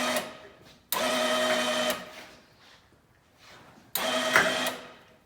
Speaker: Go ahead and get some cushion for the winch. Let's go ahead and see if we can lift it up.